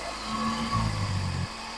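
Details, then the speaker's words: 2011 Toyota Camry Hybrid with P2103 code, right after throttle body replacement, relearn not yet done: low idle hum surging and wavering unevenly then settling; rough idle, cause not confirmed. "So I'm not sure if you can hear this. This thing does not like running right now."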